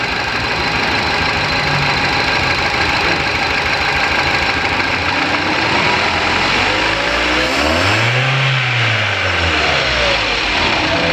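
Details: Engine with cylinder number 1 not working and throttle valve not opening: uneven stumbling idle that knocks and jerks, then flutters as the accelerator is blipped repeatedly; single-cylinder misfire.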